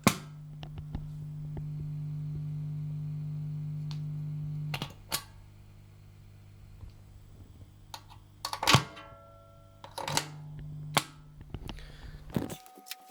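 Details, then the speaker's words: PRS MT15 amp bought 2022, full power mode, reverb and delay pedals in effects loop, mic near cab: steady low mains-type hum under idle amp, then guitar notes; loop is silent with pedals unplugged; loop preamp tube suspected; effects loop hum. "so there is a little bit of hum, extra hum, if you have, in my case, a reverb and a delay pedal plugged into the effects loop."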